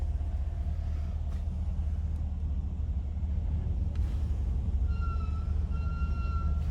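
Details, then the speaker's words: 2003 Dodge Caravan IMS Braun Rampvan wheelchair van with 51,000 miles, engine running: a thin electric whine cutting in and out is the vacuum-assisted brake pump, normal for the conversion. "Now, like I was saying before, it does have vacuum assisted brakes. So if you ever hear a pump running, that's what that is. It'll kind of sound something like that."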